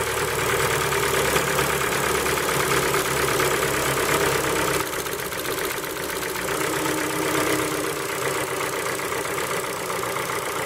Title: Форд Фокус 3 PNDA стук на холодную